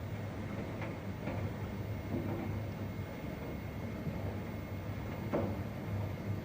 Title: Bosch WRB247C9GB/01 Series 8 Heat Pump Dryer - Start of Mixed Load Cycle